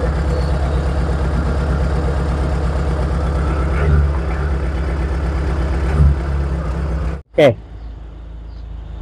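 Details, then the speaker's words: Proton Wira petrol engine, which goes semput once warm after about 5 minutes or when driven fast, idles with an uneven, stumbling chug. Misfire traced to a leaking ignition coil that shorts when touched. "Ha ada enjin pun enjin tak [Muzik] stabil tolong buka Ka. Hmm. Wah. Ni macam semput sikit ah."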